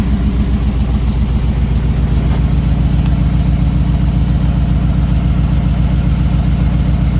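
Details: 1968 Ford Bronco V8, freshly oiled, with thick new oil in the transfer case spinning the front driveshaft; steady even idle, smooth low beat about 88 a minute, no knocks or misses; first time running within normal parameters.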